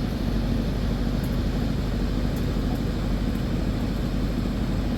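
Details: Candy tumble dryer test run on the cotton program after a defective thermostat behind the back panel was replaced: even, steady drum rumble with rushing air and no knocks, scrapes or squeals. Heater now warms and the dryer runs normally.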